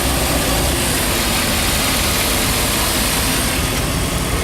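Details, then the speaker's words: 2001 Chevy 2500 van V8 after extensive repair work including spark plugs and possibly distributor, idling while antifreeze is filled: loud, steady, even rumble, no knocks or misses, no check-engine light, temps and oil pressure good; normal idle. "but it does sound better than when I come down here kind of shaking rattled and might have lucked out with the distributor too no service engine light yet which is good temps good oil pressure is good oh she sounds good"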